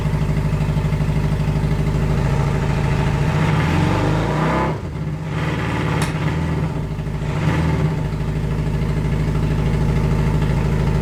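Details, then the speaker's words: 1982 Honda Nighthawk CB650SC inline-four after long sitting: choppy uneven idle, dies or misfires when revved, sounding like only two cylinders firing. "I finally got it to crank and it even started but it's running like crap I can't rev it without a dying or misfiring and it sounds like it's only running on two cylinders"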